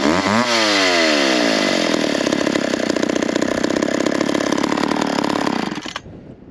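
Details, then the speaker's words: McCulloch 10-10 chainsaw after an adjustment made between cuts in firewood logs, restart test: snaps up fast and holds a steady high buzzing run for five seconds before cutting off; runs clean and even. "we got that one running pretty good so we'll switch over to one of the other ones"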